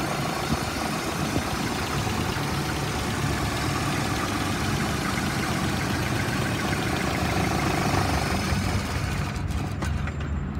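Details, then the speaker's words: 1998 Dodge Neon, 2.0-liter four-cylinder, 3,600 miles, suspected bad fuel pump: starts only on sprayed starting fluid, runs fairly evenly for about ten seconds, then drops away and stalls. "now it's running on a little bit of starting fluid that i sprayed and it will quickly shut off"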